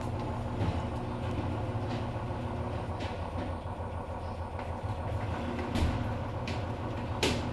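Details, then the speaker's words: Samsung washer-dryer that was noisy and jumping, spin cycle after replacing both shock absorbers: steady low drum rumble with only a few light knocks and no heavy banging; now spinning normally. "já hum é não barulh não que agora tá bom"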